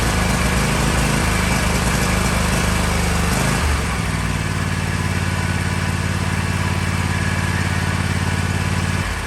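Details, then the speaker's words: Kohler KT735 24 hp on Toro MX5050 mower after fuel filter, fuel pump and carburetor replacement, still lumpy and uneven, beat dropping out every few revs; plugs had tested good, but new spark plugs fixed the misfire. "Well, you can hear that it's still doing the same thing. Carburetor replacement is not what it needed."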